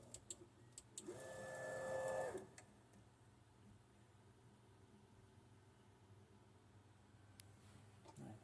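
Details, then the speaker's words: Creality Ender 3 V3 SE 3D printer after replacing noisy 24V power supply and mainboard fans with 12V fans; brief stepper whine then only a soft low fan hush, much quieter than before. "so yeah compared to before this is like much much quieter"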